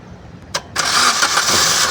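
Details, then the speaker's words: No-crank no-start car, started by bridging two pins with a single wire: short starter whirr, then fires right up and settles into a steady, even idle; starts fine. "वो देखिए गाड़ी start हो गई। गाड़ी हमारी start हो गई है।"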